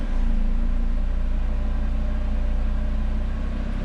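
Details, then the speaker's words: Audi RS3 first start right after a home Unitronic ECU and DSG TCU tune flash; steady, even low idle rumble with no misses, knocks or rattles, no check engine lights, running normally. "And sounds good. Nothing unusual, no check engine lights, everything looks good."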